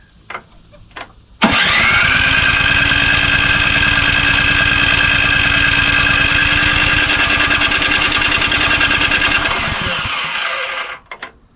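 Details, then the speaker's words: Craftsman snowblower model 247.889571, about 10–12 years old and little used, good spark and clean piston; starter cranks about three times a second for nine seconds with a steady whine, never catching; stale fuel smell, carburetor suspected dirty. "kind of wants to but oh that actually smells like really bad gas so I think we uh better get into that carburetor"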